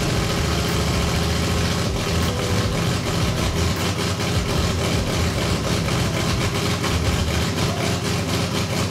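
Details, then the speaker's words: Toyota 2JZ with a turbo, after finding metal shavings in the oil pan: runs fine at first, then after a while idles rough with irregular stumbles and dips; the tooth log suggests crank signal noise, and the fix planned is a resistor on the crank signal. "I believe the issue we're having is due to the fact that we don't have a resistor in line with our crank signal so I've rigged up a couple of things that I will try to throw on after this"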